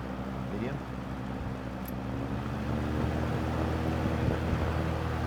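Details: Lakewood 200i fan, in use since 2008, running on low with hub checked and the same slight guard rub as with the original guards possible: smooth, even hum that builds slightly with speed, no rub or rattle; normal running.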